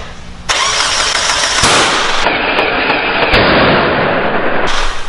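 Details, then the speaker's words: Mazda Miata first start: cranking ends in a sharp loud bang and harsh roaring bursts instead of catching; cam angle/ignition timing is 180 degrees out, causing an intake backfire. "all right we got that angle is 180 out wow wow wow that was an explosion and i jumped dude we got to take that cam angle out"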